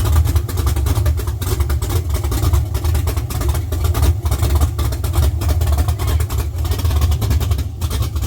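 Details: LS-swapped Chevy C10 on Holley Terminator X, first start after sitting 3 years: deep, even V8 burble that picks up cleanly with each throttle blip and settles back; healthy first start.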